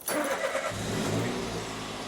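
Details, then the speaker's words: Citroen C1 small petrol engine after fitting a new battery, old one over 6 years old, car stood for weeks: quick catch, brief rev, settles to an even idle; ECU relearning throttle, took three tries; starts and runs normally. "Because we've took the battery off, sometimes it takes it a couple of times for the ECU to recognise and relearn the throttle."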